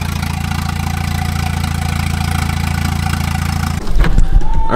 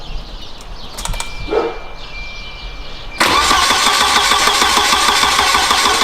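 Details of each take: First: Turbo wagon engine on new Microsquirt standalone harness, ignition fixed at 10 degrees, intercooler piping unfinished; steady, even idle then a rev blip, no misses; RPM good, running normally. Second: Turbo wagon on a newly wired Microsquirt standalone harness with a VR crank sensor and a coil driver just installed, first crank attempt. The starter cranks hard at about three beats a second with weak chuffs, but it never starts.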